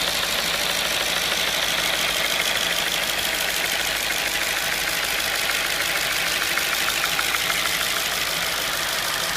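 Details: 2005 Audi B6 S4 at idle: light, fairly even clicking about three times a second over a steady idle; owner suspects the intake manifold flap is clicking or rattling, not confirmed.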